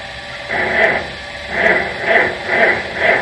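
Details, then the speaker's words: 1950 Farmall C that hasn't run, at 10°F: slow, uneven cranking swells under a second apart, moaning with no catch or firing. Cold no-start, blamed on the cold but unconfirmed. "I'm sorry to say, this video is what's going to be called a cold no start. So, oh well, we tried. But like I said, it's awful cold out here."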